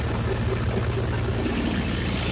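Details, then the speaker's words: Miller Big 20 welder engine with new spark plugs and points, unloaded, meant to idle at 1200 rpm and rise to 1800 rpm when welding: a steady hum holds noticeably higher than that; idle speed too high. "I think it's idling way too high it's supposed to idle at 1200 rpm and then kick up to 1800 when you weld well it sounds a lot higher than that"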